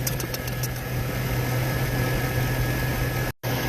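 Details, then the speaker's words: 2004 Chevrolet Silverado after replacing a bad spark plug that caused a cylinder 1 misfire and ticking: smooth, even idle with steady low rumble, no ticking, stumble or shaking; normal idle. "But look at that. No sound whatsoever. Quiet. Wow. No shaking, no nothing, man."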